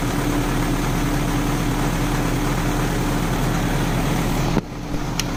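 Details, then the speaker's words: Euro-spec Mercedes 190E 2.0 manual, first cold start of the day in chilly weather after spark plugs cleaned and vacuum lines rerouted: catches right away and settles into an even, steady idle with no misses, knocks or ticks. "right you guys can see that was the complete cold start that is the first start of today and it's a little chilly out today so it's really good to see that it started right up"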